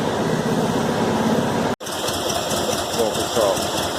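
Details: VW Fusca air-cooled engine idling and revving after a loose cylinder head bolt was tightened: steady even note, the former exhaust-like roar is gone.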